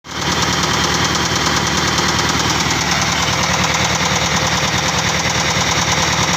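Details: Engine idling harshly with a sharp metallic knock repeating about three times a second; engine knocking, source not pinned down.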